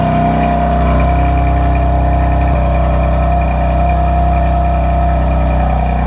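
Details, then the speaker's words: BMW F80 M3 cold start after sitting about 2 hours, exhaust flap actuators replaced: steady raised cold idle with deep, even exhaust drone, no rattle or buzz riding on it; exhaust fixed and healthy. "I'm trying to do a cold start. Well, it is a cold start because the car's been off for a couple hours already, 2 hours."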